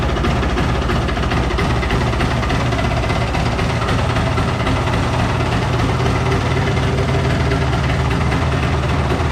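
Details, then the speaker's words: 1993 Polaris Sportsman ATV after carb cleaning to fix fuel leaking from bowl overflow vent, fuel petcock open and no leak heard: single-cylinder fires up and runs with steady, even low throb, no misses or stumbles; running properly. "I don't hear any fuel leaking, so we'll fire it up and see what happens here. So here we go. Oh. There we go."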